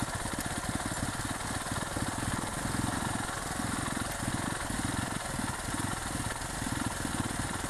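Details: 2008 Yamaha WR250R after replacing fuel pump with Highflow Fuel HFP-390: quick even exhaust pulses at steady speed, no misses or rattles, running smoothly; normal running.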